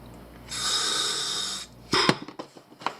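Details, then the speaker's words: Sherwood scuba second stage regulator after adjusting to stop a free-flow leak: one clean, even hiss on the inhale that stops sharply afterwards, no leak; breathing properly. "But it should breathe like she's supposed to."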